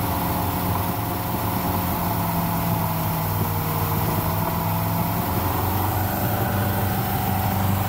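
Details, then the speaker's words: Land Rover Stage 1 V8 that sat 12 years in a field, first start on fresh battery, starting fluid and a drip of fresh fuel: steady, fast, even hum well above normal idle that never settles; throttle is sticking open. "right we've got a slightly jam throttle and ken can't get it back to idle so i'm gonna have to go around and disconnect the cable at this end and see what kind of idle we can get out of here"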